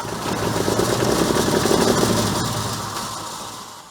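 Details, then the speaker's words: Diesel equipment at an auction, likely overfilled with oil, glow plugs heated before cranking, alternator missing: clatters evenly a few seconds then dies on its own; owner suspects no power to keep fuel pump shut-off solenoid open. "well it sounded okay I don't know why it didn't stay running that might be something to do with the alternator missing we might not be getting power to stay on that uh fuel pump shut off"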